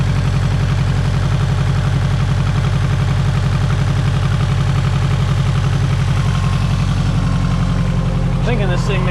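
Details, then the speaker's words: Subaru STI on its first drive after reassembly: deep burbling idle at about four pulses a second with a slightly uneven beat; owner suspects a misfire, but there is no check engine light and no leaks. "I kind of think it sounds like it has a miss but the check engine light is not on yet"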